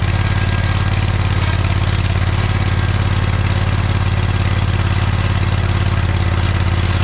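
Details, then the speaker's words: John Deere 317 lawn tractor repowered with a Kohler Command 18 hp engine, first start after sitting many years; steady, even low putter, no misses or knocks; runs pretty good, though a fuel leak remains (cracked fuel pump suspected). "but it did seem like it ran pretty good actually so that's a good sign"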